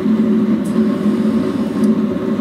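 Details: DIY workshop waste oil burner heater (old steel water tank body, boiler fan, 12V diaphragm pump, timer relay module clicking on and off) burning waste oil with no smoke; steady even roar and low hum, no sputtering, popping or surging; normal burner operation.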